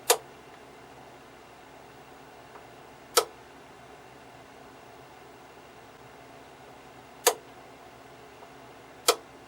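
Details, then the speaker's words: 1973 Zenith solid-state black-and-white TV on switch-on: four sharp, irregular pops over about ten seconds, something not making good contact; crusty, corroded diode near the circuit breaker found. Intermittent popping, cause not confirmed. "turning the set on oh something is not making good"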